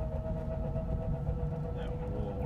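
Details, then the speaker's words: Toyota Corolla, driving: steady mid-pitched hum over road rumble; the bearings are known to be bad, and a worn wheel bearing is suspected as the hum source, not confirmed. "anyone could tell us what that noise is the humming noise and then well we know the bearings are messed up"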